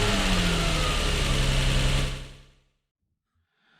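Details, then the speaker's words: Lexus IS200 at idle, code P0301 cylinder 1 misfire, warning light and ECU codes now cleared but misfire persists: slightly lumpy uneven idle before shutoff; misfire from a faulty ignition coil on one cylinder. "okay so sitrep the car still has a misfire um but there's no warning light on the dash anymore"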